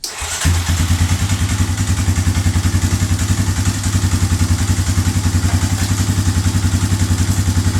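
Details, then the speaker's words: 2003 Yamaha Wolverine ATV single-cylinder with a leaking petcock: after a quick catch it settles into an even, steady thump of about three and a half beats a second; normal, healthy idle. "That's running great."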